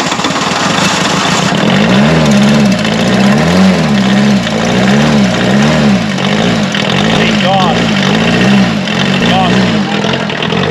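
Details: 1979 VW Mark 1 Rabbit diesel abandoned 30+ years, first start: long cranking, then it catches and runs with a surging, uneven beat as air clears from the fuel lines.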